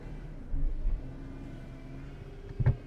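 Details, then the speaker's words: Small engine at idle, hunting unevenly, swelling up two or three times then sagging back, seemingly responding to power-steering load; cause suspected, not confirmed. "you idle all over the places responding to the load of the power steering"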